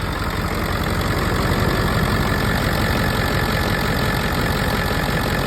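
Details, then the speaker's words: Low-mileage Ford 7.3 Power Stroke diesel truck, two batteries fitted earlier this year, started after waiting for the glow plug light: starts right up, steady even diesel clatter at idle, no stumbling, misses or heavy knocks, no major shakes; healthy. "As you can hear, it starts right up."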